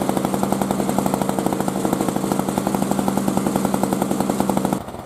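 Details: 2003 Murray single-stage two-stroke snow blower, first run in 5 years, throwing snow: rapid, even popping pulling steadily under load with no misses or surging, then it shuts off; normal running under load.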